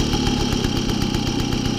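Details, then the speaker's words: 1972 Motoconfort/Motobécane 50VL moped, first start after overhaul, cold engine started without choke: fast, even two-stroke putter idling steady, perhaps a bit high, with throttle released; idle to be adjusted later. "si là je vois là c'est bon j'ai lâché ça tient peut-être un peu haut pascal est froide et le ralenti du chapeau avant tout c'est pas grave on réglera ça plus tard"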